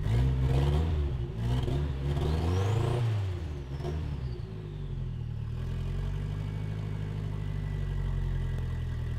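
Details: Naturally aspirated Volvo 240 1976 B23E engine with a home turbo conversion revs up and down with uneven stumbling. It breaks up around 3,000 rpm, worse than before the turbo.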